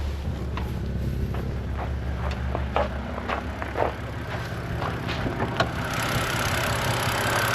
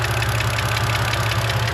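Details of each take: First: 2011 BMW 128i N52 engine after hydraulic lifter bleed procedure: steady, smooth idle with only light, irregular direct injector ticking; lifter tick from valve cover gone. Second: 2011 BMW 128i N52 petrol engine idling after sitting undriven: quick, sharp ticking heard mainly from the valve cover, from hydraulic lifters.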